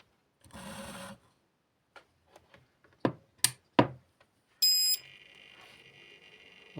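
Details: Inverter switched on during a power outage to measure its 220 V with a clamp multimeter: a clear high beep lasting about half a second, then a faint steady electronic hum as it runs; normal inverter start-up.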